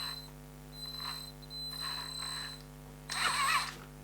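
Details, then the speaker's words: ISDT ESC70 ESC in an RC build, set to 3.5 V per cell cutoff and 6.8 V BEC, giving a high thin whine around 4 kHz that switches with throttle, caused by low PWM frequency; fixed by raising PWM frequency to 20 in advanced settings. "okay now you can hear the esc whining there um that's quite common actually esc wine but you can get rid of that and that's where this esc starts to show how good it is"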